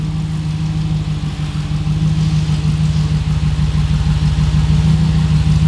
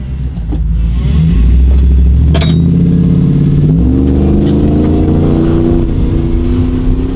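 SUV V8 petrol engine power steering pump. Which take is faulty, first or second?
second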